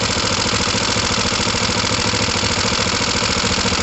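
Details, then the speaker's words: Kawasaki ER5 twin with a ragged unstable idle pulsing about three beats a second, close to stalling; left carburettor suspected not tightened enough on its new gasket, fluid leak being watched. "It sounds like it's stalling."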